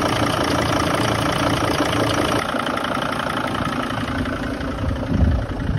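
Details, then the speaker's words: 2006 Sprinter 3500 T1N diesel at first start: lumpy, uneven idle with irregular exhaust puffs instead of smooth flow, cranking sounded like light compression; coolant leaking across exhaust manifold, suspected head gasket, rough idle cause unconfirmed. "wow that sounded like light compression to me that doesn't sound good when it's running"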